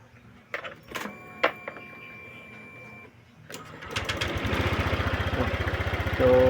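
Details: Honda Click 150 scooter, hard to start and stalls while riding, kill switch sensor faulty, battery charged before attempt: clicks and a pause, then fast even cranking near four per second before catching and settling; hard starting.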